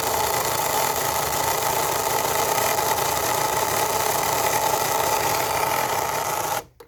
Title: Grinding Noise (Cricut explore air 2)